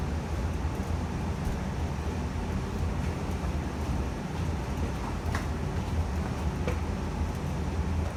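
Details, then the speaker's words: 2020 Evcon (rebranded Coleman) 65,000 BTU low-NOx gas furnace just shut off at the thermostat: burners out, steady even blower rush continues while the heat exchanger cools, then the fan cuts off; normal blower post-purge. "so i just turned it off at the thermostat as you can hear the burners turned off and now the heat exchanger is cooling down and the fan will turn off very soon"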